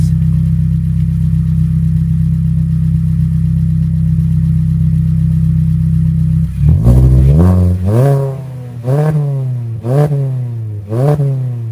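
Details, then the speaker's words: 2013 Hyundai Elantra GT, straight-piped, about 70-72 decibels at idle: steady even idle, then sharp rev blips rising and falling cleanly, loud but without misfire. "And 2 hours later and here we have her running so nice now. So we got her running at about 70 72 decibels. That's not too bad, I would say."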